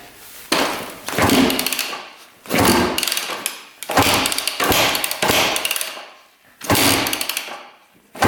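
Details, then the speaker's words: 2006 Yamaha YZ250 two-stroke dirt bike that wouldn't run, blipped in short revs with a loud, harsh knock on each burst. A rod bearing is suspected, but it could also be in the clutch; not confirmed. "You can hear it knocking like crazy. Huh. That sounds absolutely horrible. He wasn't kidding. So yeah, that definitely could be a rod bearing."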